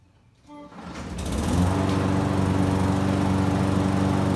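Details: Lawn mower that previously would not start or died, now fixed: the engine catches after a couple of tries, climbs quickly and settles into a steady, even run with no misses. Normal running.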